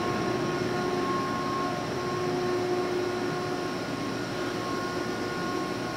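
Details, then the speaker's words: 2005 Boge 40 HP variable-speed compressor, 480 V, 79131 run/1909 loaded hours, at max rpm rebuilding pressure under air draw, about 68–70 dBA: steady even roar with constant tones, no knocks or rattles; normal full-speed running. "here it is at max rpm obviously it's trying to get up the pressure here and we're running it's probably 68 to 70 DBA"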